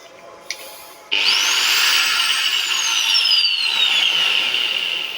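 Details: Angle grinder from a household outlet: click, then a sharp high whine spins up within a second and holds steady and even; normal running.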